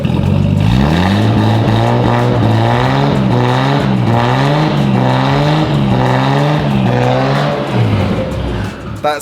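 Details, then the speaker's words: R32 Skyline with twin turbos, running on a brand-new turbo with a straight-through exhaust and bag box, some oil left in the intercooler and exhaust; crisp, free revving blips with no misfire, sounding healthy. "a million times better than what it was it actually sounds really good the exhaust came with the car but it sounds awesome pretty much straight through with a bag box"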